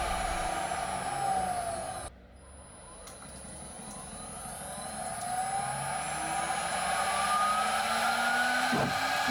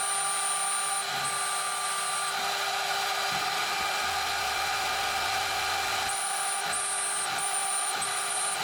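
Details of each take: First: DMC2 Mini mill cutting with a 6 mm end mill at 1 mm step over, in 6061 aluminum or cold rolled steel: high spindle whine and cutting chatter, pitch sagging then recovering; spindle audibly starting to bog, about its practical load limit. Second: DMC2 Mini mill during a light cut, part of tests in 6061 aluminum and cold rolled steel: steady high spindle whine with motor fan hum louder than light cutting chatter, no bogging or pitch drop; spindle barely loaded.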